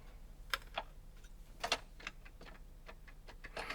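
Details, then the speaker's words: Yamaha CDX-397 CD player under repair, power supply voltages present: sparse uneven light clicks and ticks as the disc sled moves; sled mechanism very loose, a transport fault, belt suspected under cover. "But it's very loose. It's not supposed to be like this."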